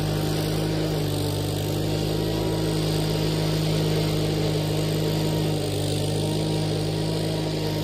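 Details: Case 1816C skid steer after sitting 10+ years in a barn, revived with a new starter and battery, roll cage refitted: steady, even low engine drone with no knocks or misses; runs and drives healthy.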